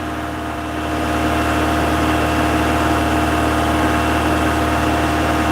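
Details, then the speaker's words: Toyota MR2, 40 years old, just after a cold start on a windy evening: steady, even idle hum sitting a touch fast with no knocks or misses; firing but idling a bit high, with smoke put down to condensation. "She's firing a bit, she's idling a bit high at the moment."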